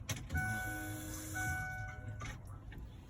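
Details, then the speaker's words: 2002 Ford Explorer 2-door after fuel pump hose repair via access panel: at key-on a short even electric hum rises for about two seconds then stops; fuel pump priming normally. "when i turn the key over at first i made no hum i didn't get it at all didn't even prime maybe a bad connection something but now it's doing it every time when i turn my key over"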